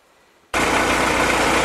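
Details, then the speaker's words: Willys M38 L134 engine on test stand, running on its original carburetor just rebuilt: starts at once and settles into a steady, even idle with no knocks, misses or hunting; normal idle. "here's your engine running on your original car"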